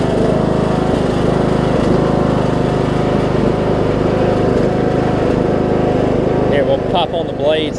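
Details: Troy-Bilt Bronco, Briggs & Stratton 18hp Intek, Chinese Nikki-copy carb with drilled low-side jet, air filter on, low fuel; steady under blade load with slight rise and fall, mild leftover surge, far better than before.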